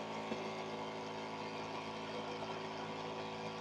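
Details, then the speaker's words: SL 4500 12 V DC diaphragm pump at about 11–12 V, no load, in a noise test reading 79 dB, quieter since its motor is 46/47: a steady, even low hum with no knocking or surging, healthy. "79 ya lebih pelan karena dia Memang motornya masih 46 47 ni 79 ya"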